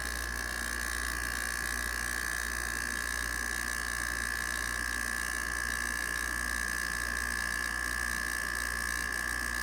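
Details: 1989 Panasonic 5000 BTU slide-out window air conditioner, out of its chassis: rotary compressor's first run since last year gives an even, steady mid-pitched hum with no knocks or surges. Normal compressor running.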